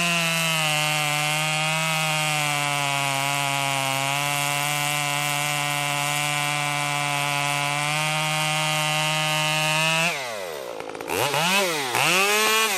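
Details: Stihl MS 194T top-handle chainsaw after muffler mod (inner baffle removed), freshly tuned, cutting red oak: steady high-pitched full-throttle scream, revs dip and recover as chain bites without stalling; normal running under load.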